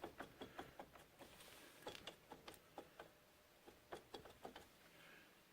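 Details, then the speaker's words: 2012 Polaris Sportsman 500 HI wheel being rocked by hand: sharp, irregular knocks and clicks from a worn, loose wheel bearing; all of the bearings are loose and due for replacement. "And this bearing, hear that? Shot, like I said. Up here, can you see that? I don't know if you can see it, but that's loose."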